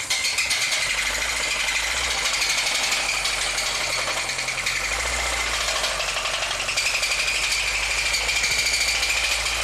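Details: VAZ 2109, 2004, 1.5 injection engine that stalls, pulls poorly and uses a lot of fuel. A harsh, rapid metallic knock at idle. A plastic bag found in the oil pan is suspected of blocking the oil pickup and causing oil starvation; worn rod bearings and connecting rods are suspected.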